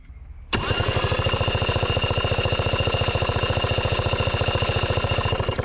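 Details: Vespa PX scooter after the CDI supply cable end was recut and screwed back into the CDI port, old wet spark plug still fitted: steady cranking at about three and a half beats a second with no firing; weak spark jumping to the plug top, engine won't catch.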